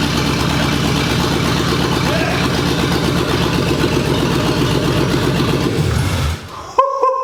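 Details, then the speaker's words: 1965 Mustang, GT40 engine with rebuilt Toploader transmission, first start after install: big V8 settles into steady even lope with firm low burble, no knocks or misses, shuts off cleanly; normal idle. "the car is running great i did a little heat cycle while uh the camera was off it's running great it's idling perfect and starts up first try"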